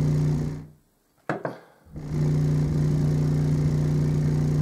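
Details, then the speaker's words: REL Acoustics T3 subwoofer amplifier after replacing six capacitors, fed from an oscillator into a front-facing test speaker: a clean, steady low tone around 150 Hz resumes after a brief cut-out, with no buzz, crackle or distortion; the amp works. "Got the speaker hooked up and there's no unusual noises coming out of the speaker. In fact, that's right, because I'm going through my oscillator, aren't I?"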